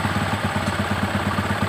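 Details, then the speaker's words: Carburetted single-cylinder motorcycle, idle first raised to about 2000 rpm: steady even thumping easing off as the air screw is turned right, revs dropping; stop at the first drop, no need to bottom the screw. "Kalau udah ada penurunan RPM, kita nggak usah sampai mentok, karena kita nggak berpatokan pada berapa putaran nanti keluar"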